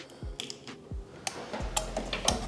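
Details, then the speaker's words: Car relay, four-pin configuration, tested with Electric Finger relay tester: crisp, separate clicks, several within a couple of seconds, each clean and sharp, tester lighting green; relay switching properly. "And as you see, it's testing right now. And it's lighting up green. You can hear it's testing. When you hear the clicking sound, it means it's testing."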